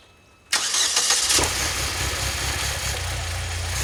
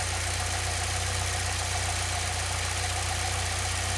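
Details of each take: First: 2006 Saab 9-3 2.0t at start-up after new spark plugs, deep exhaust; engine fires, stumbles and shudders about a second then settles; intermittent stumble at start and warm idle persists, cause unclear. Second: 2006 Saab 9-3 2.0t after new spark plugs for intermittent stumbling, started near cold mark, a little over 1,000 RPM: steady, even idle, low smooth drone, no misses or knocks; sounds good, full cold start still untested.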